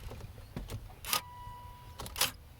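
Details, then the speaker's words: 2008 Volvo S40 after freeing stuck steering lock mechanism with light mallet taps: two short whirring bursts a second apart as key goes in, lock motor cycling normally; before the fix it made no sound and would not start. "wasn't making that sound when I was putting the key in before and wouldn't even try to start"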